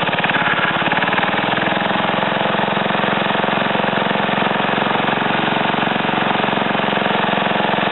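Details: Ariens TA20A Trans-a-matic tiller, small single-cylinder engine, running after clutch assembly reinstalled: steady, even beat with no misses or knocks; normal running.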